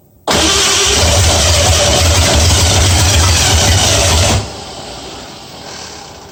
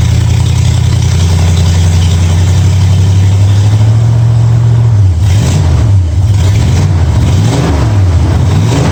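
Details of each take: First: 1965 Mustang first start after fitting new headers, moving on from the 2bbl: barks to life loud and ragged, roars unevenly about four seconds, then drops off; owner unsure of timing, suspects firing order too. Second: 1965 Mustang V8 with new headers, timing at 12 degrees before, after turning the front idle screw about three quarters of a turn: deep steady idle bobbing gently with throttle blips, smooth and even with no misses; sounds real good.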